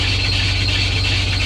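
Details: Chevrolet with 266,736 miles just after start-up: loud steady high-pitched squeal over a rough idle that persists with the AC on; serpentine belt squeal.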